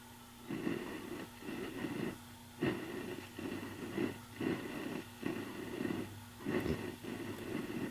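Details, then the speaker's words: Gibson GA5 tube amp after a capacitor job, hum and motorboating gone: crackly bursts as the cleaned volume pot is turned, caused by about 9 V DC leaking through the pot's coupling capacitor. "you can hear the scratchy Pot sound when I turn that but check this out we cleaned the pot so we know that's okay"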